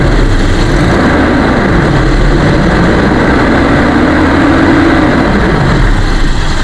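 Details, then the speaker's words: 1998 Toyota Kijang LGX 1800cc revved up from idle: loud, smooth roar climbs and holds with no ticking, knocking or rattles, engine smooth, piston rings judged still fine; normal engine revving. "Kita udah belayer, kita naikkan RPM-nya, suaranya tetap normal, tidak ada suara-suara yang janggal."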